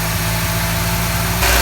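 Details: Ford XR4Ti engine in a short stretch of smooth, steady idle with an even low rumble and no miss; coolant circulating, no leaks from water pump or turbo water supply; normal idle.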